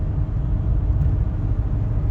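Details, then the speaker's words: 1993 Ford F-150 with 99,000 miles on a test drive at cruising speed, cabin audio: low, steady road and engine rumble with no knocks, whines or rattles; quiet, healthy cruise. "I'm trying to be quiet so that you can just hear how nice and quiet this truck is."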